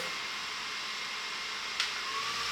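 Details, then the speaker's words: Titan TTC-SC60(B) caravan roof ventilation fan on its highest setting, six: a steady airy rush with a faint hum, plus some vibration making it noisier; the fan is operating normally at high speed. "and six I mean there is a bit of vibration there as well so it is more noisy uh on the six setting"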